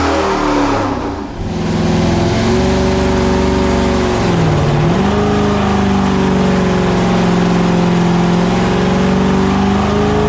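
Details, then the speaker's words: 1970 GTX 440 V8 on the dyno before rebuild, fully warmed, full-throttle pull: brief dip then smooth even climb to high revs, no misfire, knock or rattle; 390.5 hp at 5,000 rpm, peak torque 484.4 at 3,300 rpm; healthy. "At 5,000 RPM, we just pulled out 390.5 horsepower, and our maximum torque right now is at 484.4 at 3,300 RPM."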